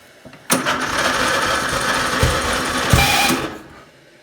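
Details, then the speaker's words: Murray riding mower at its first start in a long time, with the battery showing a fault: about three seconds of harsh grinding while cranking slowly, cut off abruptly; the starter has made this noise since someone drove it and sounds unhealthy. "Oh, she ever sound unhealthy though."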